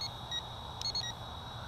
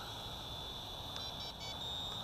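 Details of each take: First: CheerWing CW4 camera quadcopter in flight: short high beeps about every 0.7 seconds over steady propeller whine, a low-battery warning with blinking lights before it lands itself. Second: CheerWing CW4 camera quadcopter hovering with altitude hold: steady high rotor whine with a few short, high chirps as the trim is stepped, then settling; normal trim feedback.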